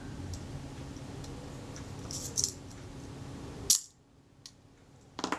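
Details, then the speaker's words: Kodak Retina Reflex S leaf shutter after cleaning and graphite-lubricating the retard gear train and self-timer, tested including the B setting: a few crisp, clean single snaps, nothing dragging or sticking; firing properly. "That seems to work fine. This would be B, this will be the B setting. That works fine too."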